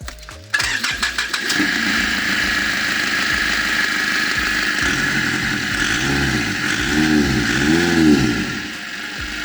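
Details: Nissan E25 ZD30 diesel after a cylinder head replacement for a leaking head gasket, with an intermittent no-start; here a short crank catches at once and settles into a steady diesel rattle with blips, a normal start.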